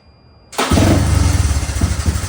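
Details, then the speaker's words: Honda 185S three-wheeler on E85 with ported stock carb, ignition timing fully advanced and advance springs replaced: starts immediately, crisp even single-cylinder thump with no misses; running normally, though advancing timing made little difference. "Okay, timing is advanced, so let's start it up and see how she runs. So this is what the timing fully advanced E85."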